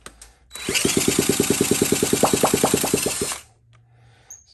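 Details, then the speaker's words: 1979 Honda Z50, flywheel nut removed while working on it: three-second burst of quick fairly even popping, about three a second, then it dies; engine fires but won't keep running. "sounds like it wants to oh took the nut off that might be all we get sound like a little more there"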